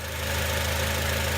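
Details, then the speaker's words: 2006 Acura TSX idling after the misfire repair: short, even idle with a steady beat and no skipped firing. Normal idle. "Alright, I just fixed my engine. Woo! Yay!"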